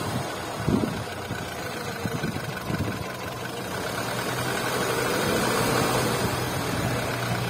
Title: VW Polo 9N3 1,6 BTS 77kw engine noise